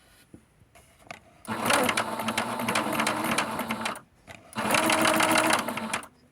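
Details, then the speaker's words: Noisy domestic sewing machine, just oiled, runs in rattling bursts with a hard metallic clank that seems to come from the left side; before full cleaning and oiling. "It sounds like the clanking is coming somewhere from the left."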